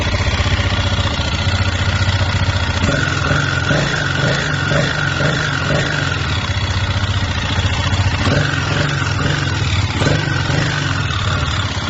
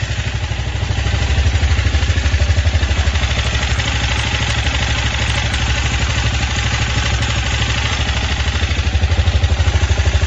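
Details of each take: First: Idling single-cylinder 164FMM motorcycle engine with a steady, dull metallic knock; after a broken third gear wrecked the case and piston, gearbox, cylinder, head and piston were swapped with the knock unchanged, and only replacing the crankshaft cured it. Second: 164FMM motorcycle engine after repair (broken third gear, new gearbox, cylinder and piston, new carburetor; earlier knock traced to crankshaft): steady, even single-cylinder thump at idle, no knock, no smoke. Normal idle.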